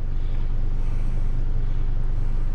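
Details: Healthy 2005 Chevrolet Colorado engine idling after PCM replacement fixed its no-start, check engine light out: steady, even low rumble with no misses, knocks or surges.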